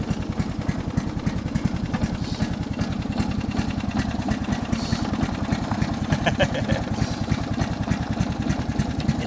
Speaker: So, let's try second gear now. We are still at idle, so it isn't moving fast, but yeah, that's just how it is.